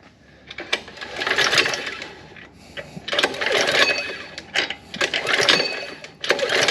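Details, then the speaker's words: Gas-engine Power Wheel build: three rope pulls, each a short whirring crank with no firing; cranks but won't start. No fuel is reaching the cylinder, and a plugged main jet is suspected, not confirmed. "we don't have fuel going into the cylinder so maybe the main Jet's plugged up or something"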